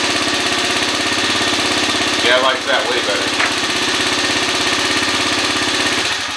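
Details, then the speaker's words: 2013 Kawasaki KFX 50 quad after carburettor adjustment: small single-cylinder pops along at a quick, even beat with no stumbling or surging; now running smoothly. "i like that a lot better"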